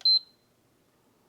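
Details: Previously repaired PS5 Slim Digital, beep on-off fault, RAM voltage 1.35 V good: single short high beep, then silence as the console shuts off; power fault, cause not yet found.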